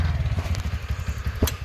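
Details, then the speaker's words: TVS Ntorq BS6 scooter after repair of a tak-tak engine knock traced to the magnet side: short burst of even low putter with no tapping on top; normal running, now smooth like new. "देखिए अभी देखिए कितना smoothly sound है कुछ भी problem नहीं है अभी गाड़ी में कुछ भी प्रॉब्लम नहीं"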